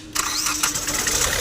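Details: 2012 Hyundai i20, code P062E, starting trouble and stalling off throttle, cylinder 2 not working: cranks briefly, catches and settles into an uneven, unsteady idle; faulty injector diagnosed and replaced.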